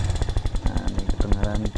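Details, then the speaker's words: Honda Megapro Primus motorcycle with rough noise complaint at the cylinder head: fast, rough metallic ticking clatter over idle, like very loose valves; worn camshaft and rocker arms. "nah ini suara kasar kemlitik ya di bagian silinder head"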